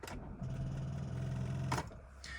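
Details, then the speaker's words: Older Nissan 350Z, battery voltage low: turning the key lights the accessories but gives only fast buzzing starter clicks and no cranking, a battery too weak to turn the engine; needs a jump start. "you turn it on or you try to turn it on and this is what you see you start to get the accessory lights turn on and you can see your battery voltage is down so obviously L you're going to hear clicks like"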